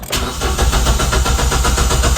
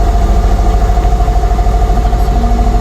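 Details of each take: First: 2015 Kia Picanto manual, no start: starter spins the engine at a strong even rate with no firing; good crank but no start, scan shows no engine codes; traced to a leaking fuel pump O-ring. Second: 2015 Kia Picanto manual, after troubleshooting a crank-but-no-start: engine now runs with a steady, even low rumble and regular pulse, no misses or knocks; normal idle.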